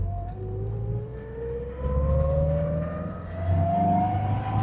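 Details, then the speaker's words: US-import LHD Triumph TR7 driven on road: thin whine rising steadily with road speed in second gear, likened to A-series Mini gearbox whine; gear change good, engine seems down on power and needs tuning. "That sound with a slight whine in second really reminds me of A-series gearbox whine in a Mini."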